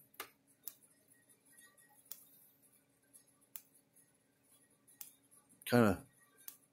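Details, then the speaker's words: Gallagher S50/S20 solar fence energizer with repaired board, powered at 12.7 V: faint evenly spaced clicks about every second and a half, green light flashing; normal. "so I'm powered on I got a 12 point 7 volts running to it i turn my overhead light off and you can see how it slows the pulse down but the little green lights still flashing"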